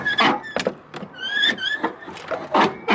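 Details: Squeaky car door hinge before lubrication: sharp rising squeals each time the door swings, about once a second, from a dry hinge; fix is cleaning with carb/choke cleaner then silicone spray.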